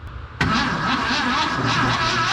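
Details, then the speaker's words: VW Bus engine just installed, fuel pump not hooked up, cranked with a spark plug on a wire to check spark; about two seconds of even rhythmic cranking that never catches, spark present but no fuel, crank no start. "so it didn't really show it in that video but it's got a spark um so I'm gonna put some fuel in the carb and see what happens"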